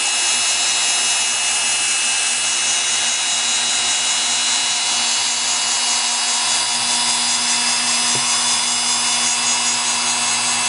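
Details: Singer PA-style sewing machine motor from a model 600, deliberately flooded with over 50 drops of oil and then cleaned with Krud Kutter degreaser: even high-pitched whir at full speed, steady without ticks or grinding; the motor runs normally after cleaning.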